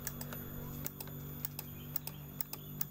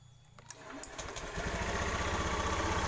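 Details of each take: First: Honda BeAT FI scooter with ACG starter: relay near the battery clicks sharply and irregularly, about four per second, over a faint hum with no cranking. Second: Honda BeAT FI scooter with ACG starter, after repairing the broken ACG coil wire that caused relay clicking: quick quiet crank, then the engine catches and settles into an even putter; clean start and healthy idle.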